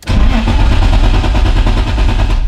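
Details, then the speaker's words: BMW E30 M3 Touring with an ignition-lock problem, cranking with some throttle while the fuel pump hums: the starter turns the engine at an even, steady rhythm but it never catches; cranks, won't start, absolutely no life. "Also wie ihr hört, absolut kein Leben in der Bude."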